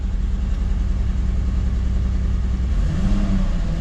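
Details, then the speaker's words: 2006 Mercedes C230 petrol engine started without the air filter housing fitted: uneven, lumpy low rumble of a felt misfire. The engine no longer stalls but still misfires; the cylinder is not yet known, and plugs, coil or injector are suspected. "there's still a misfire I'm able to feel the misfire but um at least he doesn't turn off anymore"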